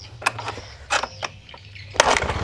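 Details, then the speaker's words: Honda Beat FI scooter that had died completely: a few clicks, then the engine catches and settles into a quick, even, smooth putter with no misses; normal start after the fault was traced to a loose ignition switch socket. "mesin hidup ya Long Oke ini Cup suaranya juga ya halus suara mesinnya League West aman-aman Sulaiman"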